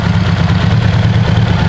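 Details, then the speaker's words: Turbo Subaru stock engine after one hard pull, oil everywhere under the hood: rough, lumpy low idle with an uneven thrashing beat; broken stock connecting rod has holed the block. "I think I lost my rod."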